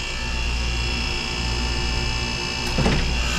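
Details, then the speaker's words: Water-cooled split-system refrigerator on R-404A: steady condensing-unit drone, then a sharp thump as the compressor clicks off and back on. It short cycles, tripping the pressure control at about 350 head pressure, which is extremely hot. "right there boom on and off so this one we caught twice already this one we didn't catch on video but I saw it short cycle as well"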